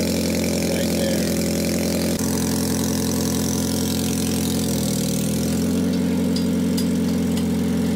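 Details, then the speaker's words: 2009 Toyota Prius, revved after replacing its stolen catalytic converter: rough raspy idle with a puffing, ticking chuff. Exhaust leak at the pipe joint, much better after adding a clamp. "and hit the gas okay there she goes sounds like there's a leak already"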